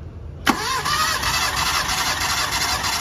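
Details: Mitsubishi Lancer with a misfire, suspected of loose compression; compression test with plugs out, cylinder 2: starter spins the engine at an even, unbroken beat; reads 175 psi, healthy compression.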